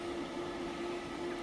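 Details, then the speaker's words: Webasto Airtop 2000 air heater in a ProMaster van, running and heating after three start attempts, exhaust pipe lying on the ground with no muffler fitted yet: steady mid-pitched whine over soft combustion rush; unmuffled exhaust whine. "that whining you might hear is the um the muffler not the muffler but the exhaust we have it just sitting on the ground so it's probably making issues there and we don't have the muffler on yet"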